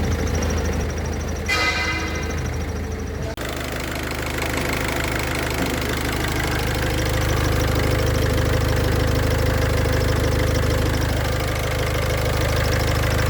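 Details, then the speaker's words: Engine idling with a fast, regular cricket-like chirp, about three per second, tested while pressing and releasing the clutch pedal: the clutch thrust (release) bearing's balls are starting to deteriorate. "That noise seems to be coming from the clutch thrust bearing."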